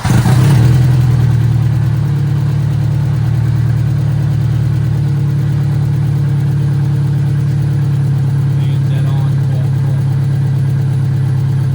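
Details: VW Mk2 Scirocco 16V, first run after 20 years abandoned, exhaust removed, catalytic converter still fitted: brief rev, then a low, uneven, slightly lumpy idle that stumbles; rough running, does not sound normal, cause unconfirmed.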